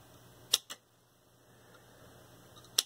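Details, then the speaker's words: 1970s Panasonic RS-801 8-track player with the motor running: touching two sensing contacts together, standing in for the tape's foil strip, triggers two sharp double clicks over a faint motor hum. The track-change solenoid is switching properly. "i'll touch these two points together and you can hear it change the track"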